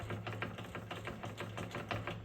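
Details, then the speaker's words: 2015 BMW F31 328i wagon (N20 to N55 swap), steering shaft turned side to side with new tie rods: quick irregular clunks from the EPS steering rack, a known issue with a repair kit. "you can hear there's a knocking noise in the rack. It doesn't sound too bad right now, but once you've gone through the whole linkage all the way up into the steering wheel, it's quite a pronounced knock when you go back and forth."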